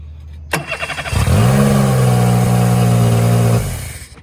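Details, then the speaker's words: Mercury 40 four-stroke outboard: cranks, catches and settles into a fast steady high idle that made shifting into gear hard; faulty idle air control valve (part 877805T) to be replaced. "it's got a real hot idle and uh this is supposed to be the fix"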